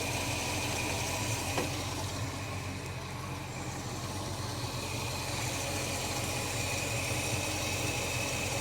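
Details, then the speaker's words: Holden HK after new spark plugs and oil change: low, slow, even idle with steady beat, no ticks or misses; deliberately set very low idle, running smoothly. "that sounds about it to me I like to run a very low idle"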